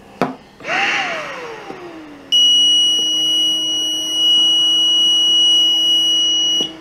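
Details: Home ventilator shut down to test homemade open-circuit failure alarm, added after ventilator's own alarm failed; machine winds down, then high continuous electronic tone for about four seconds as alarm trips.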